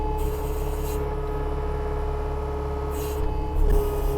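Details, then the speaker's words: New Holland 300 series machine with adjustable electro-hydraulic control sensitivity, loader bucket raised and lowered gently: a steady engine drone with a hydraulic whine that rises and eases smoothly. The response is proportional rather than on-off, so hydraulics are operating normally. "And as I go up and down, my proportional ability, you can hear the hydraulics working there. It's not just an on or an off."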